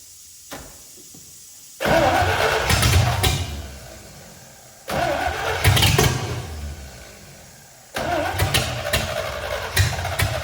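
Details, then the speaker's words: C65 dump truck with a carburetor swapped in from a Ford 300. Over three start attempts it fires, runs rough a couple of seconds, sags and dies. Inadequate fuel supply. "Okay, so since last time, I absolutely could not get it to prime. I think because there's so many fuel lines and it's got a heavy duty fuel filter."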